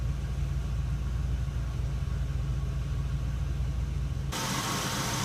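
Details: Oldsmobile 307ci V8 idling while still warming up, choke plate half closed, during repair of an EGR gasket vacuum leak: steady low idle with no hiss or stumble. No vacuum leak heard yet, though the engine was not fully warm.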